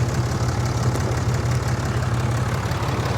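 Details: Diesel truck at an auction lot, started right up with check engine, ABS, brake and airbag lights on, alternator charging, likely needing batteries: a deep, steady idle with an even low rumble and no knocks or misses. It runs well.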